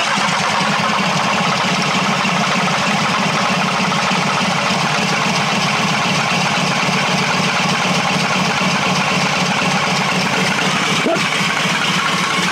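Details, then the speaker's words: Bus engine that died on the motorway after about 10,000 km, starting spray used: steady cranking about four turns a second, nearly catches but won't run; no fuel reaching the engine, fuel delivery fault. "Mais nous avons vu qu’il le voulait réellement. Cela signifie que nous avons un problème de carburant. Il n'y a pas d'arrivée de carburant !"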